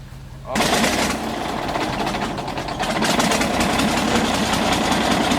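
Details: Galion T500 motor grader diesel, sat 14+ years since 2007, started after fuel shutoff reopened: cranking catches and settles into a steady, even diesel clatter with no misses; running normally.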